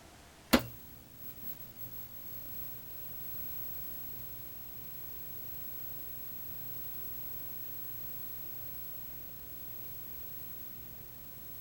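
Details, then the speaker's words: Gorf arcade game with a Wells-Gardner K4600 monitor powered up after a monitor cap-kit recap, B+ measuring 125.7 V against a 127 V spec: a switch click, then a faint steady low hum from the speaker with no game sound; cause unknown. "Okay, well, I hear a hum out of the speaker."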